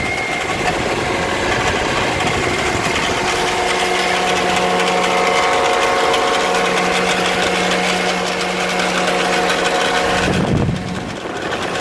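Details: 2008 Toyota Corolla LE at cold idle: a fast, uneven light rattle over a steady engine note. It lasts a few minutes after starting and goes away after driving. The origin is undetermined.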